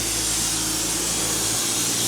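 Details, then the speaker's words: Propane-oxygen gas-axe cutting torch being set up: steady soft hiss with no strong roar, so the flame is not hot enough and needs more propane and more oxygen turned up. "Frank, that's not hot enough. Turn it up. Turn the gas up. More propane, more oxy."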